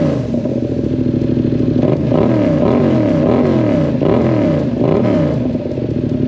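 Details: 2022 Yamaha MT-07 twin, first startup after aftermarket exhaust install, silencer still in: loud deep burble rising and falling with throttle blips, settling back smoothly with no misses; the new exhaust made the bike loud.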